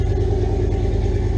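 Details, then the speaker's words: Turbo square-body Chevy C10 at first start after cheap new exhaust with wastegate dump under the front end: deep, mellow, even idle pulse, no rasp or crackle; raspiness gone, quiet healthy exhaust. "dude that's way better way better it knocked all the raspiness out it's more of a mellow"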